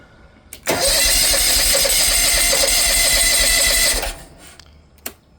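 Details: Exmark Lazer Z HP zero-turn with Kawasaki FH580V engine about 1.5 years old, new battery fully charged: steady fast starter whir about three seconds with even cranking but no firing; stopped running after the throttle adjustment screw was turned.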